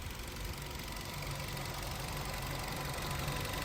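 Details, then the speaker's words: BS-6 petrol car after DIY throttle body cleaning and calibration without scanner, idling 10+ minutes, warming up: steady even idle, no RPM fluctuation, new smoother engine sound; normal idle. "Engine की sound वो नई वाली sound आ गई है अभी देखो करीब 10 minute से ज्यादा हो गए गाड़ी को स्टार्ट रहे आरपीएम बिल्कुल बराबर है"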